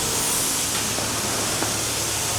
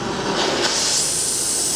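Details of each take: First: Harris propane-oxygen cutting torch with gas and oxygen turned up for cutting 30mm-plus material: a steady roaring hiss with a high whistle on top, the sound of a correctly tuned nozzle. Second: Harris oxy-propane cutting torch on thick steel: a soft, even rushing hiss with no sharp roar, so the flame is set too low. It needs more propane and oxygen for cutting 30 mm material.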